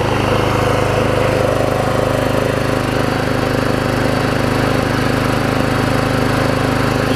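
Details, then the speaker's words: Troy-Bilt push mower, Briggs & Stratton 5 hp Quantum, after cleaning main carb jet and removing self-propel parts: holds steady even speed, no longer surging, though reluctant to idle down; normal steady running. "can see it's not really surging anymore either say it doesn't want to idle down"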